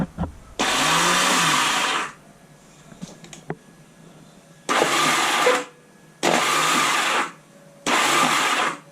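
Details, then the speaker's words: 1978 Honda Goldwing after years sitting idle, cranked from a jumper box: three or four short bursts of high, free-spinning starter whir with no compression rhythm. The starter clutch is slipping and not turning the engine. "starter clutch is spinning it's not turning in turn"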